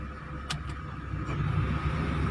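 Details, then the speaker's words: Mitsubishi 4G15 engine after repair, converted to separate coils (CK2 coils), fuel tank cleaned of mud: idle with AC switched on stays steady, even hum with no dip or hunting; normal idle. "พ่อแห่นิ่งเลยนะครับแต่ทำงานอยู่นะครับมีแค่นี้นิ่งนะครับ"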